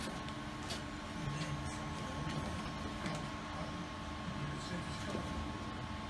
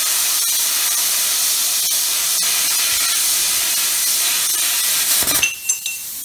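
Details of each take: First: Plasma cutter cutting steel for a chassis rotisserie frame in cold weather: a steady hissing roar with a faint sputter. Sparks blowing back up show the cut is not penetrating; it needs more current, not more air pressure. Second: Plasma cutter cutting a rotisserie frame bracket after the current was turned up slightly: steady, strong hiss with no sputtering until the arc stops; clean, consistent cutting.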